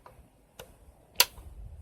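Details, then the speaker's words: $7 scrap Razor electric scooter, switch on, at standstill: three faint light ticks about half a second apart with no motor hum, the controller clicking; motor does not run. "And when I hit the throttle, there's a faint clicking sound. Hopefully you can hear that. That sounds like a solenoid or something."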